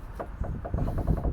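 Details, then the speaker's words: Vauxhall Corsa D front anti-roll bar and lower arm squeezed by hand while hunting a front-end knock: quick dull clunks, roughly six a second. A worn drop link, whose noise carries through the bar; replace it. The other side is fine. "squeeze, and you can hear that straight away, and that's obviously going to transfer through that anti-roll bar. It's going to make it sound like it's coming from sort of everywhere under the front end, really. But yeah, get a drop link ordered and get that changed."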